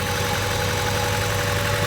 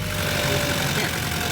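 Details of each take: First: Honda Civic idling with one fuel injector unplugged: uneven, loping idle with a stumbling beat about four times a second; rough idle from a disabled injector. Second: Honda Civic with PCV valve plugged back in; steady low idle rumble with even beat, no misses or surging, normal idle.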